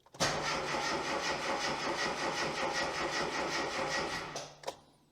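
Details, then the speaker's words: Classic Mini (MPI) after engine reassembly and head gasket replacement, fuel pump fuse removed, in neutral on battery jumper: steady, even brisk cranking for about four seconds with no firing, a normal turnover check before first start. "all right so the battery jumper is connected we've got power now we're in neutral good that i checked that can hear lots of stuff happening let's see what happens"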